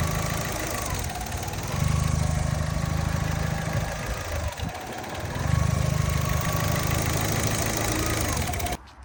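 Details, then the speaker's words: 2008 Fiat 500 1.2 petrol, 25,000 miles, idling: idle rises and sags in slow waves every few seconds, never settles; hunting idle, owner suspects air leak, later finds taped-up cracked intake pipe near airbox. "you get to a junction and you pop the idle, and it just keeps going like that. So my brain says this must be an air leak."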